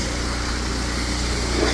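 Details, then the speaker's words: Old power washer engine after repair, RPM turned up to offset governor springs stretched from years of running at full RPM; it now holds a steady, even drone with no hunting or surging, normal at full speed and power washing properly. "I think we do a lot of power washing so over time the Springs really stretched and everything cuz that power washer pretty well just sits at full RPM all the time so that's why I turned up the RPM and now we can actually power wash"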